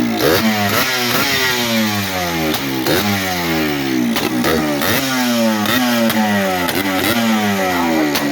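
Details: Yamaha Blaster two-stroke on its first start after a top-end rebuild, run with the airbox off: loud repeated rev blips, pitch sweeping up and down with a raw intake note; revs freely and sounds healthy, normal revving.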